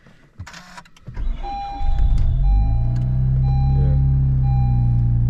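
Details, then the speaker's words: Honda Civic Si 10th gen turbo manual, gears won't engage with engine running; after start a thin steady high squeal at idle with clutch pressed, previously had squeaking throw-out bearing; owner suspects bearing. Squeak at idle. "got that squeaky noise and when I press the clutch so as you guys may know the car did had issues with a thrw bearing where it was squeaking"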